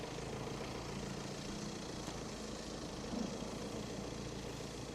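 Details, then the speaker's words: Crash-damaged Audi Q5 Quattro TDI diesel with smashed intercooler, after repair: steady, even idle with a smooth low hum, no knocks, misses or rattles; engine sounds healthy. "for this one make sure he doesn't crash into anything certainly sounds very very nice"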